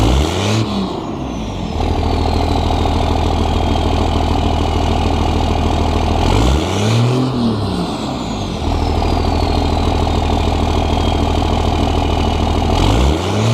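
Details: 2001 Dodge 24v Cummins diesel with stock intake, before Banks cold air intake install: steady idle clatter, three clean revs, only a faint turbo whistle; healthy engine.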